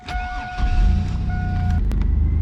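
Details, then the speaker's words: 2000 Chevy Blazer after temporary exhaust leak repair at the flange and muffler: starts and settles into an even, much quieter idle with no puffing or ticking from exhaust joints. "That's a lot quieter, and I don't have to worry about that muffler falling off."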